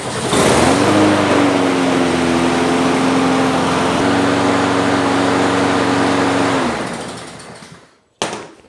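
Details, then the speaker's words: Husqvarna mower with Honda engine, suspected bent crankshaft, restarted after reassembly with blade refitted right side up, air box off: steady even single-cylinder drone, no wobble or knock, winds down cleanly; vibrates much less than before. "Excellent. She seems to run pretty good. And it doesn't vibrate nearly as much as it did."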